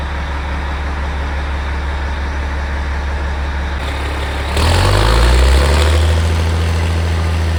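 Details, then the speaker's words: Caterpillar 3406E diesel in D400E Series II haul truck after cheap rebuild fixing bad previous rebuild and excessive blowby: deep, steady, even idle about four pulses a second, picks up smoothly on a blip; good oil pressure, no blowby. "well I guess I'm pretty happy with that not bad for a bunch of used junk runs good sounds good it's got good oil pressure no blow by"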